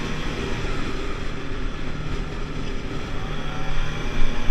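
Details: 50cc two-stroke Pulse Force bike on a road test after a fuel-starvation fix, 14-stone rider, no panels: steady buzz building speed cleanly with no bogging or stumbles; normal running.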